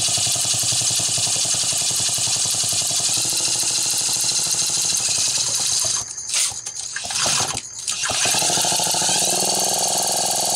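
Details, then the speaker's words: Homelite Super XL chainsaw: high two-stroke buzz runs steady then stutters and nearly dies about two seconds before catching; weak spark from bad ignition condenser prevents full rpm. "I mean that's close I'd be real tempted to ignore that if I was just doing some testing that's an honest statement I would but hearing how it was running something was not right yet"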